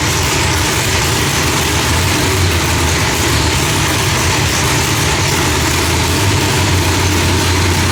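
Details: Engine after correcting Holley distributor trigger from rising to falling edge, timing off about 6°, idle tuning pending: loud steady idle, deep rumble, even beat, no misfire or popping.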